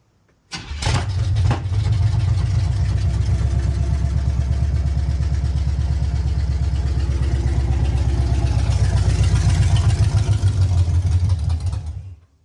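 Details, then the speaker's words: 1976 Chevy C10 350 small-block on its 2-barrel carb before a 4-barrel intake swap, started in park after pumping the throttle. It catches and runs with a low uneven pulse for about eleven seconds, then stalls; really bad gas is suspected. "so that didn't last long uh it's got some really bad gas in it so you know we're just pumping the engine full of that"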